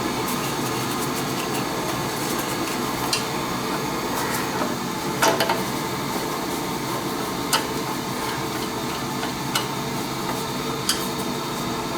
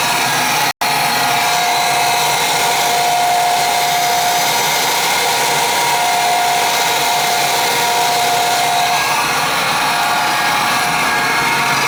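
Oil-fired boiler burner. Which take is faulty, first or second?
second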